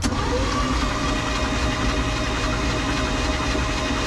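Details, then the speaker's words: 1991 Four Winns Freedom 190 boat, OMC 4.3L V6, bought unknown, with some water in the oil: steady, even cranking churn with no knocks, clatters or bangs; cranking sounds normal. "I mean, it sounds like an engine. I don't hear any loud knocks, clatters, bangs."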